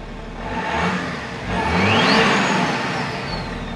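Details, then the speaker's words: 2010 BMW X5 diesel after a 3-inch hole was drilled through the DPF, MAP sensor and air ducts reconnected: two revs up with a clean rising whir, falling back evenly; no louder than before, no dash lights. "yeah that sounds the same like it's literally it doesn't sound any louder which is what we wanted"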